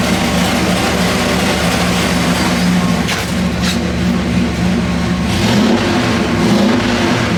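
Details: 406 small block Chevy on engine dyno, pump gas, Jegs aluminum heads ported by Eric Weingartner, stock cam, dual-plane intake, ATM carburetor; loud steady full-throttle roar, no misses or pops; pull felt a tad rich, jets leaned two numbers, EGTs 1150 to 1250; normal.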